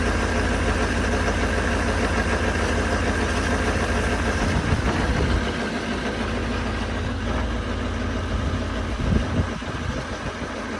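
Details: 2019 Duramax diesel pickup idling at 15 below zero: deep uneven clatter pulsing irregularly, a rough idle present since new.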